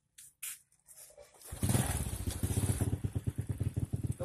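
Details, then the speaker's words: Honda Supra carburetted moped just after starting: loose, uneven exhaust beat with lumpy pulses at idle because the carburetor air screw setting is wrong. "Kemudian perlu Anda dengarkan yang namanya suara knalpot. Suara knalpotnya itu agak merembet dan tidak normal. Itu tandanya posisi settingan setelan angin karburator tidak benar."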